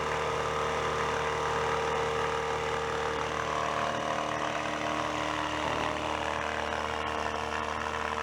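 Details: Older air compressor after repairing bad rod knock with spare parts: motor hums steadily with even pumping pulse about two per second, no knocking or rattle; running normally.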